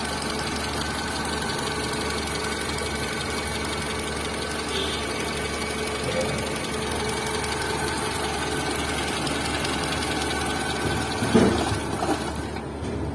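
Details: Tata Zest engine at idle; steady idle with quick light ticking from the top end, suspected camshaft/valvetrain noise, not confirmed.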